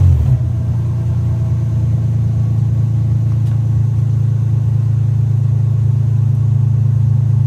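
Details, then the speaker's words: 1996 Lexus SC300 2JZ manual W58, still cold, after fuel pump ECU bypass (pump now heard whirring): starts far better but catches into a low, slightly uneven idle that sags, with hesitation; owner unsure whether injectors or normal when cold. "Okay, you guys could see there, it still gave me a pretty decent hesitation. I don't know if that's because we linked it up, but it did start way, way better than it did before. The car still is not warm."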